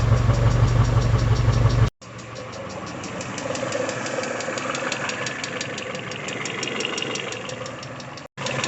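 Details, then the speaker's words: Peugeot 406 coupe, 244,000 km, after timing belt job, warming from about 47–52°C: steady light ticking about three per second over a smooth idle, fading with revs and warmth; hydraulic lifters, not bottom end. "Сейчас вот, слышите, звук уменьшился, пропадает. Это были все-таки гидрокомпенсаторы."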